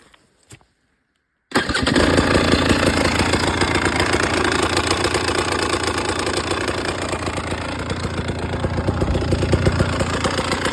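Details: 2018 Husqvarna TE 300 TPI: engine catches after brief silence and settles into uneven knocking beat about three and a half per second; abnormal engine noise, cause unknown.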